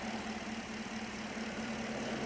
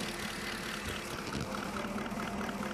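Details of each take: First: 2016 Holden Commodore VF 6.2 L LS3 V8 with misfire, stethoscope on a driver-side injector (cylinders 2-8) at idle: fast, even ticking over the idle hum; normal fuel injector clicking. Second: 2016 Holden Commodore VF 6.2 L LS3 V8 idling with misfire, injector No. 5 heard via screwdriver with mic in palm: faint irregular ticking lacking the crisp click of No. 7; dead fuel injector.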